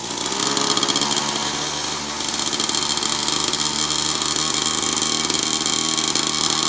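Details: Newly assembled kids' dirt bike, first start, new pipes and engine breaking in: buzzy small engine holds a smooth, even rasp with steady revs, no misses or knocks; healthy, easy to crank.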